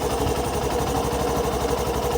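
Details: Hero Passion Pro 125cc bike, i3s being switched on, which auto-shuts the engine after about 8 seconds: steady, even single-cylinder idle putter with no misses or knocks; normal idle.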